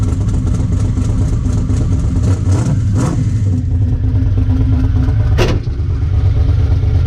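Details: Ricky's 750 blow-through carburetor on a V8, rejetted with 75 primary and 86 secondary jets and a 6.5 power valve, no pump shot, under test: a deep, even rumble with smooth throttle blips and no stumble or popping; best it has run so far, normal running.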